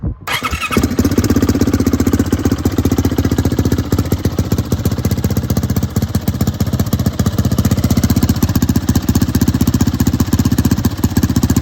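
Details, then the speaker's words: Turbocharged YZ450F on E85, 1160 cc injector, very short downpipe: fires quickly, then a steady, evenly spaced thumping idle with sharp exhaust bark; runs cleanly with no misses. "It has a pretty nice tone. I mean, you know, when taking into consideration how short the downpipe is."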